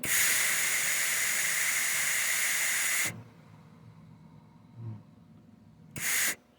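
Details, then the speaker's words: Hobart Ironman 240 MIG welder, nozzle held next to the microphone during slow wire run-in: steady strong gas hiss for three seconds, clean stop, then a short gas burst after trigger release; normal shielding gas flow. "The other thing that it does too is it'll flow gas for the time period that the wire is running slowly, and then it'll cut off the gas supply when the wire speeds up."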